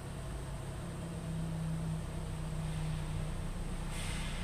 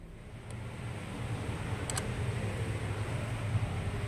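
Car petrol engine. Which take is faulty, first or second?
second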